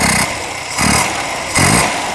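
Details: Ceria carburetor, snap-throttle test: three quick throttle snaps from idle rise cleanly and fall back without bog; normal snap response.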